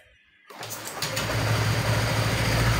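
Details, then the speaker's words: Honda Vario Techno 125 FI scooter test start after water pump replacement and radiator coolant refill: fires at once and settles into a steady, even idle with no rattle or whine; runs well. "Oke teman-teman ya, motor menyala dengan baik."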